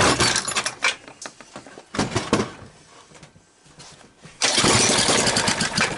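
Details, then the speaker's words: 1991 Tecumseh 5 hp engine, governor removed, cold-started on starting fluid after a dropped-valve repair, freeing a seized cam follower and fitting a new side cover gasket: ragged pull-start sputters, then it catches and runs at a steady, solid chug. "so it started and at this point better stop because the wife's gonna smell it and then i'm gonna get yelled at"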